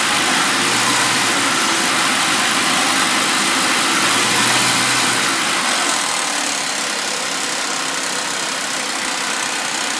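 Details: Warm Suzuki Vitara V6 at idle after a warm start: a steady rattle ticking about four times a second that doesn't worsen and gets quieter when revved. Worn timing chains and tensioners.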